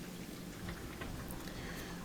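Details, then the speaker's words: Bosch dishwasher after replacing a worn fill valve that wasn't letting in enough water: even splashing and sloshing throughout with no pump strain or grinding. Water now fills properly, reaching the round plastic handle; normal wash. "so we can hear the water sloshing around a lot better now and we can see that water is dripping from everywhere that's good"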